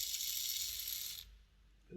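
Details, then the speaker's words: Hornby R066 Duchess of Sutherland model loco bought as an eBay non-runner, gear oiled: thin, fast buzzing rattle as a gear flails in one direction; the spindle is worn oval from lack of lubrication. "this spindle here is oval it's completely worn down that's what happens when you don't lubricate the spindles"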